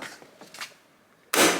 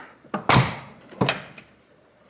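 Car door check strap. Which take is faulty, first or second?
second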